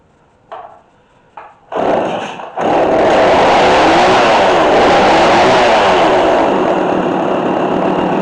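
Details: McCulloch Mac3216 32cc chainsaw with 16-inch bar, during repair. Started with a few pulls on choke, then choke in. It catches and revs with a wavering, hunting pitch; it runs, but the carburetor still needs flathead adjustment.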